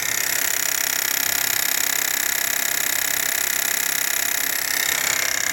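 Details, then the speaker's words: 2023 Renault Duster, 44,000 km, direct injection petrol, microphone at the high-pressure fuel pump at idle: fast sharp clock-like ticking about four a second; pump was replaced. "Bomba de alta da injeção direta, dando muito defeito. Já peguei uns três, quatro carros aqui seminob fazendo barulho aqui na parte da bomba de alta pressão, da injeção direta."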